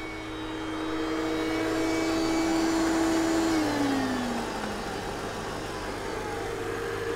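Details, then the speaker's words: Mercedes R230 Copart car "Rusty", running: smooth engine note swells then eases to a steady idle, no knocks or misses; running healthy. "Let's listen to the engine. Look at that. She's alive."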